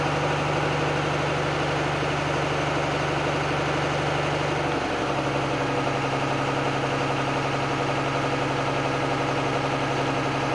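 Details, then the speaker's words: Truck diesel idling with the window down during the pre-trip air test, with the compressor's low hum. After reaching 100 psi in 21 seconds, the tone drops away about five seconds in as the governor cuts out; spec is 120–140 psi; normal. "Now I'm going to continue, roll the window down so you can hear the governor go off. That should happen between 120 and 140 for this vehicle."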